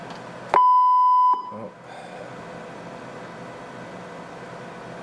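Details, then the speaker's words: Connex 3300HP CB radio on bench, tone from audio generator injected: clean steady mid-pitched tone under a second, then cuts out over room hiss; talkback audio leaking through though talkback is off, cause unclear. "why is that coming through i have talkback is supposed to be off right now talk back off that's weird"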